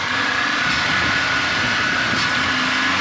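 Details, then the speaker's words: GM 3.8 liter (3800) engine just restarted after replacing a rust-eaten water pump instead of a suspected head gasket: steady, even idle, smooth hum with faint constant high tone, no misfire, no smoke; runs really nice. "It's running really nice. Then we leaks. No I think she's good. Tailpipe sounds good. It's got no misfire."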